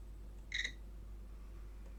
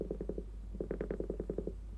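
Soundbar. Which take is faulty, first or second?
second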